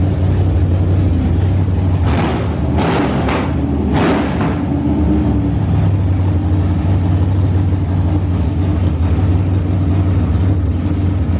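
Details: Freshly rebuilt truck engine at fast idle during break-in: steady low drone with a faint uneven beat, number 1 cylinder dead at about 30 psi compression; cause unsure, stuck ring or valves from the swapped head.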